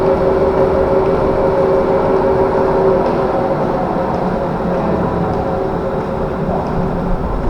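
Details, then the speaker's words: Rice mill after replacing two cracked shaft bearings and slackening the belt slightly: steady, even hum with no knocking, rumble or grinding; now runs smooth and quiet. "โอเคเงียบแล้วนะครับเงียบมาครับนี่ครับเงียบ"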